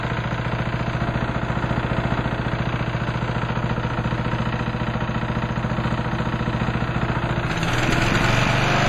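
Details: Craftsman lawn tractor at low idle in neutral with a steady hard rap, about three or four a second, a deep internal engine knock; owner suspects something internal, plans to check the head first.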